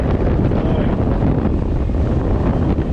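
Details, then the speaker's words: Ford E250 van with a no-blow blower complaint, after repair, engine running and AC on max: strong, steady rush of air with no squeal, rattle or ticking; normal blower operation. "All right, success. Fan powering down."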